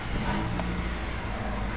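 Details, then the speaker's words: Toyota Altis, owner reports intermittent stumbling, stalling and flashing check engine light on bumpy roads or turns; here it starts and settles into a smooth even idle with no drops or misfires: normal idle. "Nah, ini kondisinya normal, hidup, bagus ya, tidak ada ngedrop, pincang atau yang lainnya. Kondisi seperti ini, bagus."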